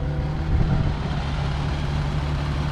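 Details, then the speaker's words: 2020 Jeep Gladiator V6 that broke down: lumpy, uneven loping idle from a misfire on one cylinder, cam-like sound; cause not yet found. "all right yeah you can hear it now sounds like a cam i mean it actually sounds pretty good i'm not gonna lie but"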